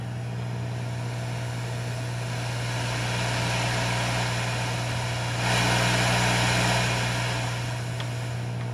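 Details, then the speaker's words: 1958 Sears Silvertone 9075 amp being converted to a guitar combo, now powered through a Variac acting as a choke; steady low mains hum under hiss, much less noisy, so power supply needs more filtering. "to the difference. Way less noisy going through that Variac right there. So that tells me I have some work still to do on this power supply. Probably need to add some more filtering."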